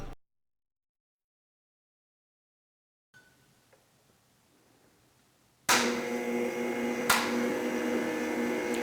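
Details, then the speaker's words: Chinese band (package heat) sealer running normally with heat and power on, before end-of-cycle cooldown test: near silence, then a steady, even hum and whir with the fan running. "we have the heat running, we have the power on."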